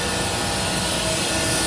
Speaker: you can hear that hissing sound now. That means the suction has started.